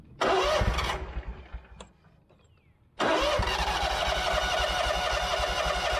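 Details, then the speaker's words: Scag mower with Kawasaki FX691V after carburetor replacement, previously popping and backfiring: not fully warmed up, restarts with a little choke into even steady idle with no backfire. Normal starting and idle. "Yeah, now firing right back up. Let's try it with choke, because I didn't really run it that long. Yeah, just needed a little choking. Sounds good."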